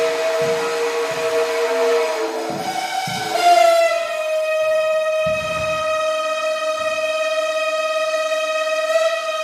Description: The heaters in my building are dying after 60+ years. The loudest heater I've ever heard.